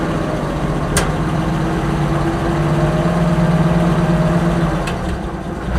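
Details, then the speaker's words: Oliver 525 tractor after governor rebuild: steady, even low idle at about 220 beats a minute with a couple of brief clicks in the background; engine idles normally. "corn come on idle idling real good there"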